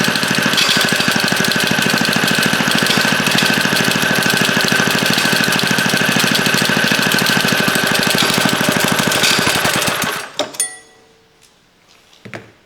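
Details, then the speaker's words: Revived late-1950s rototiller engine, carburetor and fuel tank ultrasonically cleaned, running fast and steady: hard, busy metallic rattle over the firing until shutoff, coming from the recoil starter. "at The Recoil sure making a lot of noise though I have to check that out something's not right in"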